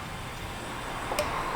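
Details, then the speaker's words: 2008 Nissan Frontier 4.0 with no low beams: single crisp click of the high beam relay as high beams switch on; relay pulls in normally while low beams stay dead. "I hit high though and I hear that click over there."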